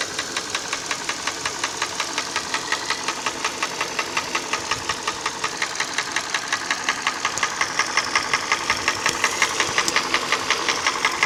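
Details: Hyundai ix35 petrol engine at idle: sharp, regular tapping about three a second over quiet, steady idle; internal engine knock, cause unknown.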